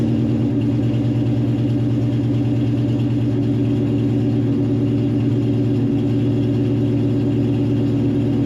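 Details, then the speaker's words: Foxbody Mustang restomod idling with a steady, low, lumpy beat and slightly uneven rhythm, no clear knock; running very rich, likely over-fuelling at idle; exhaust exits the tailpipe, though known exhaust leaks remain. "very rich. All right. But it looks like the exhaust is coming out the tailpipe."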